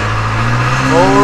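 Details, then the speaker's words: Backhoe in reverse, pushing with the forks, after replacing the scored, stuck control valve and rebuilding the reverser clutches. The diesel pulls steady with a clean whine and no slipping, where before it would just drag. Normal forward and reverse drive. "reverse look at that keep pushing good now dude i got my forks on it never used to do that it would never slip the tires"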